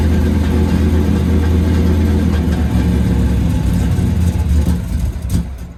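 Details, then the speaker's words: 1984 Pontiac Firebird V8, cold start in snow, mechanical fuel pump with long fuel hose: deep idle lopes unevenly and sags as if to die; doesn't like the cold but holds idle. "She's not happy. Oh, wait a minute. She don't like the cold at all, man. She's idling though."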